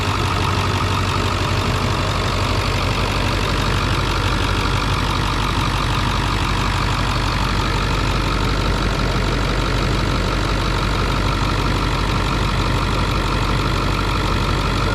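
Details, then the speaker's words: Ford 7.3 Power Stroke diesel idling right after a fuel filter change and priming: steady, deep, even rumble with no stumbling or hunting. A rough idle was possible, but the engine is idling smoothly. "You might get a bit of a rough idle maybe, but this one's doing pretty good."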